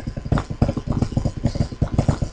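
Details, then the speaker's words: Dayton 1/16 hp 5000 rpm motor, over 40 years old, run slow on setting two of a Lutron (ex-Dayton) 5 amp speed dial: uneven rattling knock pulsing several times a second over a low hum from worn motor bushings. "down on two you hear that i mean i can hear the bad bushings that"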